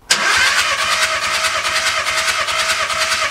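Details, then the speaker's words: VW Caddy diesel that won't start, cranking during a compression test that read 25, 22, 24 and 24 bar, all within tolerance: even, steady cranking beat with no skipped strokes; normal cranking with even compression. "okay and Cinder number four we have 24 so all four are within tolerance which is perfect that's exactly what we want to see and that's good news it means we got a good engine at least I think so"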